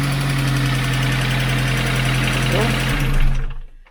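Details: 2007 Kia Cerato that would not start, after fitting a new control unit, key and ignition lock set; it catches, settles into a steady, even idle with no knocks or misses, then shuts off cleanly. It runs healthy.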